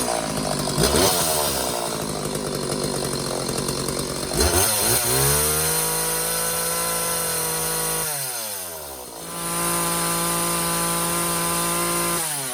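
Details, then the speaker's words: McCulloch Silver Eagle SE2016s two-stroke chainsaw, long-neglected trash find, after idle adjusted richer: blips then holds steady high rev with clean even tone, no misfire or bogging, while checking chain oil flow; running healthy. "I'm going to let it idle a little bit so I can high rev it and see if I get some oil to come out."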